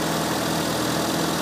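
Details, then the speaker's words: 2004 Ford Fiesta mk5 (Siemens ECU, double-ended coil) after repairing a 'primary ignition failure' ECU fault, with air filter refitted: steady, even, smooth idle with no stumble or misfire, now clearly running on all four cylinders. "And as you can hear, with the air filter back on and all the rest of it put back together, engine does run quite smoothly. So definitely running on four cylinders."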